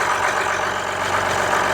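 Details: 2015 Ram EcoDiesel, tuned, crank-no-start with no codes, fixed after the throttle body was removed and the intake reassembled. Steady diesel idle with an even, regular clatter and no stumbling. Runs smoothly.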